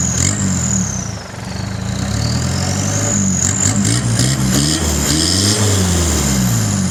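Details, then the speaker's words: 1989 Mitsubishi Pajero, 2.5L 4D56T turbo diesel, muffler ripped off off-roading and replaced with a welded pipe: starts quickly into a gruff open-pipe idle with a faint turbo whistle; louder exhaust than before but still fairly quiet. "There's a bit of noise for you. So, sounds a little bit more than it used to, but it's still really quiet."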